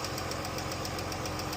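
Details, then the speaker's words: Jeep engine idling with quick, even ticking about seven times a second; worn rocker arms and lifters, a known engine problem, not oil-related. "rocker arms and lifter problems. They have what? Rocker arms and lifters. It's basically like something that's inside the engine."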